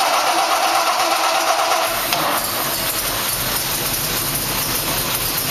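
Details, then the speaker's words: 1957 Jaguar XK140 fitted with an XK150 engine, not started all day: quick cold start settling into steady, even idle over a constant hiss, slight tappet noise, no stumble or misfire; healthy. "starts right up without a problem I can hear the tappets a little bit"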